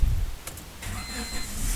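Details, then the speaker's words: Engine start after recharging a dead, discharged car battery with a charger: a couple of quick clicks, then the engine catches promptly and settles into an even run; normal engine start. "And the car starts perfectly."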